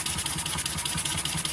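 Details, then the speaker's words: Model double-acting steam engine running on compressed air at very low pressure, just ticking over: quick, even chuffs about eight a second over a steady air hiss, no knocks, little vibration; normal smooth tick-over. "I like these when they're just ticking over, just purring away."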